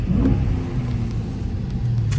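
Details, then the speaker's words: Salvage Dodge Challenger Scat Pack V8 on its first drive: deep, even rumble with no ticking or knocking. It sounded terrible earlier but now sounds healthier; normal running. "Bro, it don't sound bad. It sounded terrible earlier."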